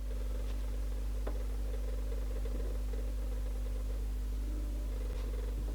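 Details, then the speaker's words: 1970s Ariston RD11E turntable with speed issues, 12 V Technics motor dated July 1976, running without platter: steady low hum with a faint, uneven rustle; noisy motor, likely needs lubrication. "that motor May well need a bit of a lubrication be surprised if it doesn't need something"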